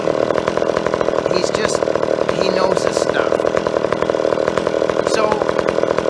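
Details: Old chainsaw after carburetor tuning in the wood: crisp even high-rev buzz, steady firing, no hunting or bogging; carburetor set right, runs clean.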